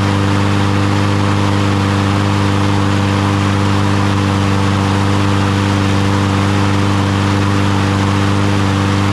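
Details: Troy-Bilt (MTD) push mower after carburetor cleaning or replacement, following bad-fuel trouble: small single-cylinder engine runs at a steady, even pace with no misses or surging; normal running.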